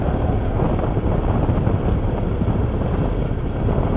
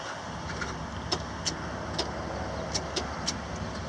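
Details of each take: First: Truck "Ruby" with a bad starter, pull-started at a truck stop: deep steady diesel idle rumble holding after a brief dropout; engine idling normally but must not be shut off until starter is repaired. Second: Truck with a bad starter: after earlier clicking, a few sharp irregular clicks with no cranking when the starter is tapped; it has four new batteries and a jump or pull start is expected.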